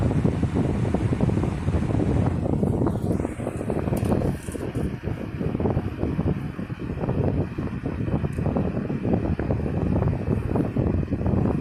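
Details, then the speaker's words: 1960s 16-inch Toastmaster box fan, first spring start-up after long storage, running on low speed: steady soft rush of air with a low even hum, no ticking, rubbing or wobble; smooth and well balanced. "speed okay very very powerful has a good low speed to it very well balanced too by the way it's running very"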